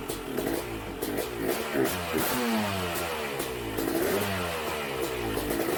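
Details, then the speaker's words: Freshly assembled BRC 500 single-cylinder engine, spark plug gapped at 0.012 in: fires steadily and picks up cleanly on each throttle blip, music underneath; it's a runner. "she's a runner guys"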